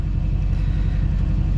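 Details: LBZ Duramax idling warm (coolant 131°F) after turbo replacement, during the turbo learn sweep: deep, steady diesel idle with an even low rumble, no whistle, grind or surge; turbo sounds healthy. Normal idle.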